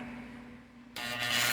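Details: Electric fan motor after rewinding, with a strange noise: low steady hum, then a harsh hissing scrape as the fan starts slowly, from a loose winding wire rubbing inside the motor.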